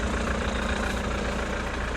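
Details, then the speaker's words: Auction vehicle with 180,000 km: a steady, even, diesel-like idle with a smooth low rumble and no knocks or misses. The engine runs great. "apart from that runs great it's only done 180 000 K's"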